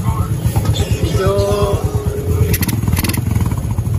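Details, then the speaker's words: Honda XRM 125 carb after top overhaul with new block, piston and rings plus valve clearance adjustment: steady, even low thumping idle, no knocking or rattles, now quiet and no longer smoking. Normal idle. "Guys na lang siya mga lods, tahimik na. Wala nang usok."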